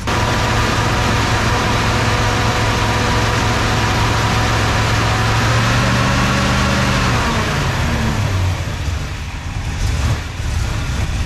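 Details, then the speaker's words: Junkyard 1965 Plymouth Fury wagon V8, sat about 20 years, running after pressurizing fuel tank, total timing around 39–40 degrees: uneven loping idle, rumble stumbling and surging; rough idle, owner suspects rejetting needed, cause unconfirmed. "Definitely running rough, though. I think we're gonna need some rejetting or go take this thing out and let it rip."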